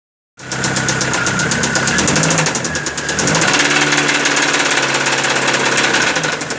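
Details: Car engine with loud engine noise: heavy rapid metallic knocking, roughly three or four a second, getting louder as revs rise; diagnosed as connecting rod knock (batendo biela).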